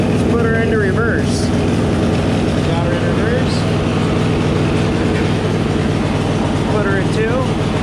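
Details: Riding mower engine started with throttle and choke after replacing a leaking oil seal: the small engine settles into a steady, even putter with no misses or knocks, idling normally.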